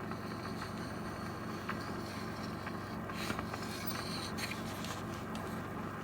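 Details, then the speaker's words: 1935 Airline Model 62-147 AM/shortwave radio, first power-up at about 100 volts; steady hiss and crackle over a low hum with no station, drawing a little current. Alive, but only static on power-up. "well drawn a little bit of current it almost sounds like short wave there"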